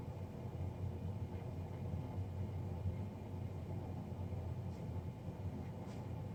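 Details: Navien NCB-240 boiler, serviced Jan 31 2020 and recorded Feb 3 2020: steady heavy low roar with no let-up or pitch change; combustion fan running far too loud.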